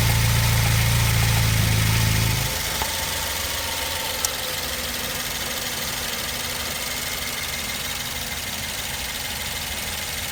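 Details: 2010 BMW 116i facelift, 122 hp, 125,000 km, at idle: deep drone dropping away after two seconds, then even ticking about four per second; owner unsure whether normal, cause unknown.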